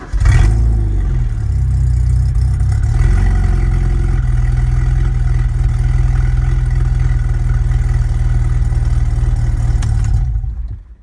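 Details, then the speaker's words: Ford Escort MK5a Cabriolet project car running with no exhaust fitted: a loud, raw, deep drone with an uneven lumpy beat at idle; rough-running engine, made louder by the open pipes. "Lumpy, no exhaust, but it's running."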